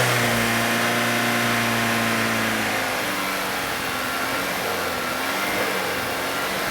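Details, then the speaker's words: 2013 VW GTI 2.0L turbo at idle during induction carbon cleaning with chemical fed in: engine note sags and lugs, running rough and labored; idle must be held up with the electronic throttle pedal. "you hear the motor lug that means you got to keep that idle up electronic throttle you got to play with the pedal"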